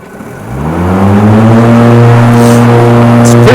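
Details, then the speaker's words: Ryobi 100Ah electric riding lawn mower, one year old, with the blades engaged: a loud whooshing wind drone like a helicopter under the deck builds then holds steady, while the drive motors only whine slightly; normal blade noise. "you know, it is pretty loud because you've got those, I mean, that's all the wind. It's like a helicopter under there, you know, it's a"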